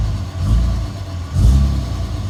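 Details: 2007 Dodge Ram 5.9 Cummins diesel idling rough with a lumpy, surging beat rising and falling about once a second; began a month ago, intermittent fuel rail pressure sensor, MAP sensor and overboost codes; owner asks if excessive blow-by; cause unconfirmed.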